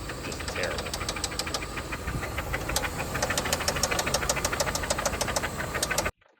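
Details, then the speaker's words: 1995 Toyota Camry LE 5S-FE automatic: runs okay for a second then a loud, sharp knock hammers about three times a second; severe engine knocking, engine later pulled for teardown to find the failure. "It's wild how it'll sound okay for a second and then it just starts knocking."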